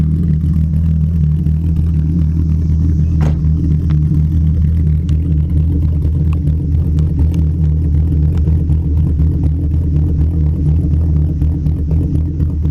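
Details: Mk2 VW 12v VR6 drag car, 276 cams, Mk4 head gasket, titanium retainers, ARP rod bolts and head studs, ported manifolds, 2-to-3-inch Cerakoted exhaust: deep, loud uneven loping chop about four pulses a second, otherwise steady; healthy lumpy cam idle.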